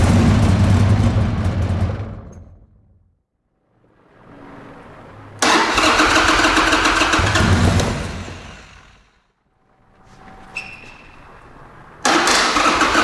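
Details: Buell X1 motorcycle, fuel-injected: repeated bursts of brisk, even starter cranking, about four beats a second, never firing; no-start caused by failed fuel pump, later converted to a carburetor.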